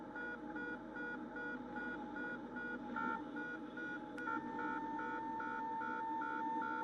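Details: Cessna 172RG in flight during a stall; over the low cabin hum a high tone warbles, then locks into a steady, louder wail as the stall warning horn sounds near the stall.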